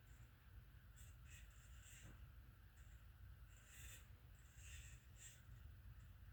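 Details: Harbor Breeze Marco Island 52-inch ceiling fan made in August 1996, hugger mounted: quiet motor hum with short, high, irregular chirps about every second, from bad motor bearings.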